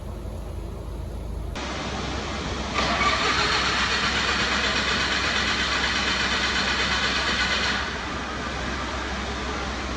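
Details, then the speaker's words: Lincoln mobile welder engine, over 30 years old, after service and fuel filter change: starter spins at steady chugging beat for several seconds but never catches; crank no start from air in fuel system. "Oh no, it won't start. When I removed the filter, it got some air in the system, and it's a real bugger to get it out."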